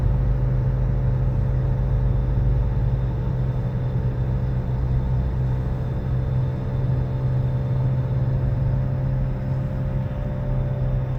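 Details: 2013 Nissan Altima driving: loud, steady low hum whose pitch changes with road speed; owner was told it wasn't a wheel bearing, but months later it was confirmed a wheel bearing.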